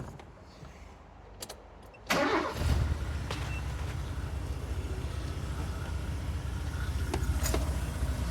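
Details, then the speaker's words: 2000 Mazda Bravo B2000 (E2000) van, carburettor engine converted to LPG, very high kilometres, after fixing the MCV/dashpot secondary system blamed for a misfire: cranks and catches quickly, settles into a steady even idle, slight growl, no misfire or stumble; normal start and idle. "and yeah it's got a bit of a growl to it but if I bring the revs up a little bit it's fixed"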